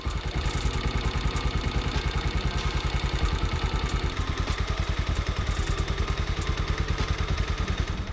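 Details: Bajaj Pulsar 150 (pre-N-series) single-cylinder, after tappet adjustment to cure excessive engine noise: even, steady idle thump with only faint light clatter, no loud tappet tick; healthy idle, some engine noise normal for this model.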